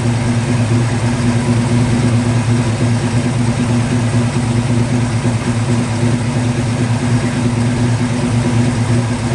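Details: 1950 Ford F1 truck revived after years in a barn, MSD ignition, fuel pump hardwired, started via power probe: steady, even low idle with a smooth unbroken rumble and no knocks or misses; engine running healthy.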